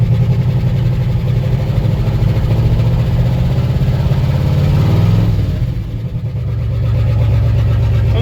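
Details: Old 1-ton pickup V8 (squarebody or bumpside) revived after 20 years sitting in a field, sparking seen near clutch linkage: deep steady low rumble with even beat through a brief dip; normal idle.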